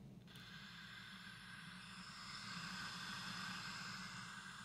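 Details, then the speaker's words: Late-1960s Magnavox suitcase record player transistor amp, recapped, no input: steady white-noise hiss in one channel unchanged by volume, tone or balance, traced to a noisy leaky transistor. "pretty much white noise it does not change regardless of whether you adjust the tone or the balance or anything"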